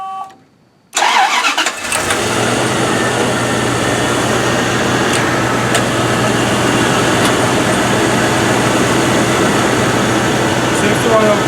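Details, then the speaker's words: 1998 Bentley Brooklands R after new hoses and vacuum lines while chasing limp-home mode: needs a couple of cranks, then catches and holds a steady, even idle; still hard starting though runs fine once going. "It's still giving me that where I have to do a couple of cranks to get it going."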